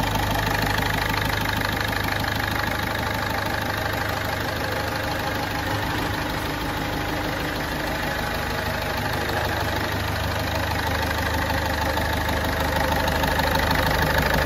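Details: Ford Fiesta 1.4 TDCi diesel, 2006/2007, after a full rebuild including cylinder head and bearings to cure oil burning and smoke; steady even idle with a regular clatter and no stray knocks or misses.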